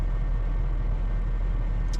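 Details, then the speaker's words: Honda Fit GP5 hybrid after automated manual gearbox repair (came from another shop not starting): steady low even idle, smooth rumble, no knocks, misses or whine; starts and drives well, throttle body adaptation in progress, running normally. "Ну машина уже заводная заводится едет уже хорошо ну всё тачку мы запустили всё нормально работает сейчас на на адаптации стоит у нас дроссельная заслонка Вот всё работает нормально"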